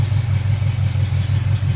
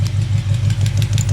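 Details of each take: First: Chevy 350 V8 during valve adjustment with valve covers off: steady even low idle, soft regular pulse, no ticking or tapping; valvetrain extremely quiet; normal idle. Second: Chevy 350 V8 idling with the rocker nut backed off a half turn during valve adjustment: steady idle with a light, quick tick on top, loose rocker lash tapping at the valve before readjustment.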